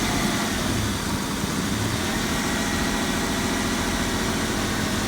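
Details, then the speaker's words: Toyota 4Runner on its second startup after a full donor engine, transmission and wire-harness swap, running with no airbox: a steady, even idle sitting slightly high with no stumble or miss. The missing airbox is blamed for the high idle. "Got a donor truck. No airbox. That's where it's a little bit high"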